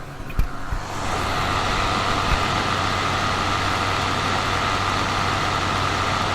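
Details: Steam Deck cooling fan at about 5200 RPM: steady loud rush with buzzy rattle and thin tone on top, mic set near the device; worn fan rattling, started shortly after purchase.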